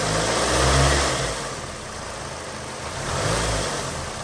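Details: Hyundai Sonata idling, AC on: slow heavy surges in loudness every couple of seconds over an uneven low rumble, car vibrating at stop, no check engine light; throttle body cleaned and plugs changed without fix; bad motor mounts suspected.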